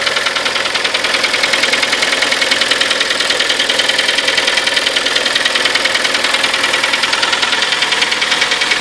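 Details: Kia Sportage, 43,000 km, 4.5 years old, Shell Helix Ultra 5W40 oil. Sharp, even knocking at about two per second over a steady idle; internal engine knock, cause unknown.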